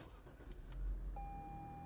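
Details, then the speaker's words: Dodge Challenger with 3.6 L V6 at auction, oil seen in the engine bay from an unknown source: quick crank catches into a low, steady idle with a dash chime; starts cleanly and sounds good. "ooh starts up starts up sounds good"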